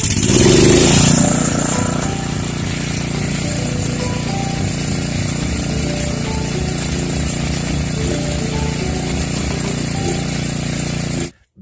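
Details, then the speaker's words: Generac 4000XL generator during refurbishing and governor adjustment: a low throbbing pulse that swells and fades a few times a second as engine rpm wanders. The governor is hunting, so the engine speed is surging. "so yeah our pong ball is engine rpm and it's all over the place and you know screwing up the vertical hold too it's making a drunken helmsman out of this throttle here"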